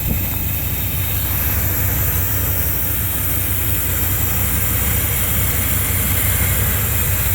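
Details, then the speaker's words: Chevy truck V8 converted from TBI to carburetor (Edelbrock 600 CFM), not started in two years: deep, even rumble, smooth steady idle without misses or knocks; running cleanly. "as you can hear she's running really good"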